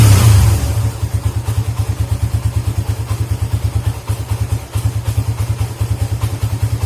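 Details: Suzuki GSX motorcycle engine revved from high to idle: on throttle release the beat goes uneven and sags, stumbling as if about to stall; cause is a dirty idle speed control (ISC) valve, fixed by cleaning it.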